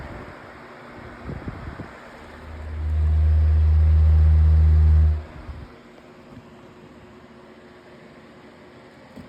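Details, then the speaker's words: Lasko 18-inch plastic table fan (2026 version) on high speed with oscillation: a steady low hum for a few seconds, then it switches off and winds down quietly with a good coast-down. It sounds healthy, with no rattle; a click in the oscillation was noted on low. "has pretty good oscillation with this motor or blades um like part set or something. And now we'll bring the fan up to high speed."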